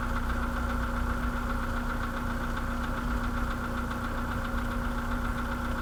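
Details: 2013 VW Polo sedan, CFNA engine, 192,000 km, at idle: rapid light knocking ticks over a steady idle, tapping along with engine speed. Piston slap.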